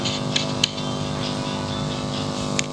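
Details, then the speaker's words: DIY amplifier power supply with a small speaker, running without the balanced input module and using a better-quality input cable: steady low buzz with evenly spaced tones and faint hiss; mains hum persists, reduced once balanced input fitted. "Ini kalau kabelnya kurang bagus ya mungkin lebih dengung lagi, karena ini kabelnya yang input itu yang udah kabel yang ininya yang dari sini mau ya, dari sini belakang itu kan pribadi udah berikan kabel yang agak bagusan dikit, tetap dengung ya."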